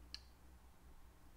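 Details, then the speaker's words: STP1-11 (ETA 2824-1 clone) movement, crown turned in the non-winding direction: single faint crisp tick, normal keyless works click, quieter than the Seiko's winding click. "i do hear it clicking it's not incredibly loud it's not as loud as the clicking going in the clockwise direction on the seiko the click spring"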